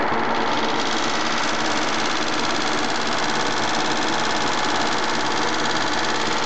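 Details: Mitsubishi GTO at idle: a fast, light, uneven ticking of about three or four per second over a busy idle. Owner suspects lifter tick and plans to change to Millers 10/40 fully synthetic oil.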